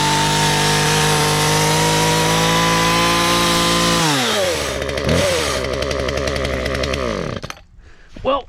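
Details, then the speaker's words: Auction Husqvarna chainsaw after cleaning and fuel line replacement, chain possibly a bit tight: high, steady buzzing rev holds clean, then drops smoothly to a sputtering idle before cutting off; runs normally. "think she sounds pretty freakin good and the chain looks good to me"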